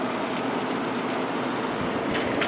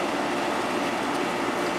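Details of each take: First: 1972 GE Slumberline 6,000 BTU window air conditioner with the fan only and the compressor not yet started. A steady, even rush of air with no rumble, ticking or scraping: the fan motor is running normally. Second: 1972 GE Slumberline 6,000 BTU window air conditioner, compressor running and cooling at about 6 amps. A steady buzzy hum with a mid-pitched cabinet rattle; the compressor itself is quiet, and its vibration carries through the frame.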